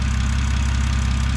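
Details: 2006 BMW 325xi, N52 engine, automatic, AWD, warmed up before oil filter housing gasket work and with cam timing faults unresolved: steady, even low hum with no misses or ticking. Normal idle.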